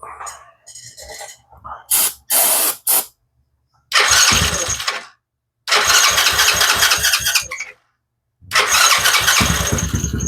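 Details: TaoTao 125 children's ATV (once submerged in a hurricane) after replacing broken starter drive chain: short cranking bursts, then the small single catches and runs with quick steady putter; starter engaging and starting normally.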